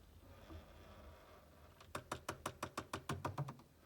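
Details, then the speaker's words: Hotpoint Quadrio fridge freezer: a quiet hum, then a quick run of sharp knocks about six a second every time it tries to cool. "we're getting a strange ticking noise every time it's attempting to keep cool on on its cooling you've got that noise"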